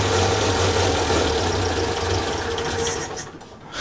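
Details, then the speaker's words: 1932 Morris Minor, compact four-cylinder sidevalve engine on a 6V battery, fuel poured in by funnel: a low, uneven, misfiring beat stumbles for about three seconds then dies away; rough running on first restart. "she runs sorts of so look I wasn't sure if it would go actually"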